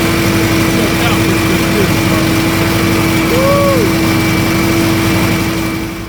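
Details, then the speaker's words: Argo ATV after sitting all winter, fixed with an upgraded carb and a replaced bad fuse that had shut down the fuel solenoid: steady, even small-engine idle with no misses, running normally. "Oh, you don't know how good that sounds. Good God."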